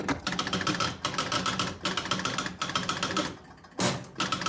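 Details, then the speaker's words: Jumping Jack pinball machine; rapid relay chatter in bursts, kicker firing only every second or third time: outhole relay switch sparking and not making good contact, pressing it stops the spark. "just as in the side you see that spark if I press it here just a little bit goes away that spark is indicating it's not making go"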